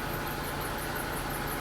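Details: 1997 Buick Riviera idling after fuel tank lock ring repair with new fuel filter and fresh gas: quiet, steady, even idle with no knocks or misses, just a faint hum; engine sounds healthy.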